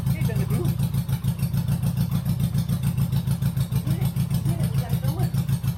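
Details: 1983 Honda GL1100 Goldwing barn find, old gas dealt with, fed fresh gas through a new filter: flat-four running with an even, quick pulse of about three and a half beats a second, sounding healthy; normal running.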